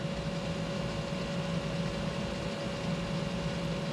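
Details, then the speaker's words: 1988 Chevrolet Suburban HVAC blower motor on high speed, fed a full 12 volts through a test relay connection. Steady whirring hum at constant pitch with even airflow, no scraping or ticking; relay stays cool, and the original fault was a bad replacement relay. "okay we got high blower fan speed let's see if our relay gets too hot"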